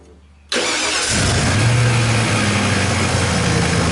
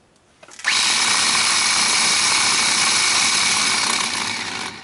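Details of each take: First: Ford F-150 after starter work and repair of corroded terminals and wiring (previously barely cranked cold, no crank when hot): quick clean catch straight into a steady, even idle with no drawn-out cranking. Healthy start after repair. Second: Ford F-150 old starter bench-tested off the truck, wired directly bypassing the solenoid: two bursts of high, raspy, gritty whir instead of a smooth torquey spin; starter sounds worn and was replaced with a new one.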